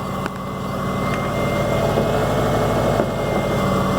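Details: Subaru Forester with new coil, new plugs and old wires, after rough running; steady, even idle with smooth low rumble, no stumble or misfire; owner still plans to replace the idle air control: normal idle.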